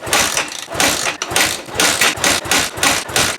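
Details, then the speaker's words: 2004 KTM 450 EXC with Keihin carb, sat 6 years with old fuel, choke on, three accelerator pump squirts. Repeated hard kicks push through compression with a dull chuff but it never catches: no start. "It kicks over fine. I can smell fuel and it smells very old. Hard to kick over."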